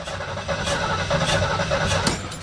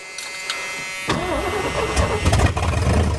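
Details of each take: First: 1973 Ford Mustang Mach 1 cranking after a car wash: starter churns steadily for a couple of seconds but it never catches; moisture inside the distributor cap from spraying under the hood kills the spark. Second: 1973 Ford Mustang Mach 1 V8 restarted after sitting, battery reconnected and fuel added; owner feared corroded points. It cranks briefly and catches at once, settling into a rough, rumbling idle: a healthy start.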